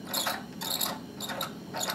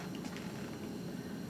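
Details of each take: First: Lab Bunsen burner with a properly adjusted flame, 2–5 inches tall, blue outer and lighter blue inner cone, set via the air inlet valve. A soft steady roar with uneven sputtering pops shows a strong, well-mixed air/gas flame that won't blow out. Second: Bunsen burner just lit with the air inlet still closed: a soft, uneven low flutter with no steady roar. The flame is weak and lazy, could blow out, and needs adjusting to a strong blue flame.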